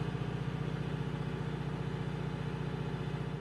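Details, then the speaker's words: Hyundai County camper diesel with an excess-soot warning, during a forced DPF regeneration run from a diagnostic tool: steady low drone with an even pulse at a raised idle as the soot gauge slowly drops. "지금 진단기를 이용해서 강제적으로 DPF 태우고 있거든요"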